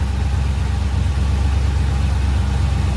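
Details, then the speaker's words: 1972 Chevy C10 V8 idling after new Edelbrock valve cover gaskets and new header gaskets on shorty headers. The exhaust-leak ticking is gone, leaving a deep, steady, even rumble; some smoke still comes off the header wrap. "still have some smoke coming off the header wrap but got rid of that ticking so he sounds good running well"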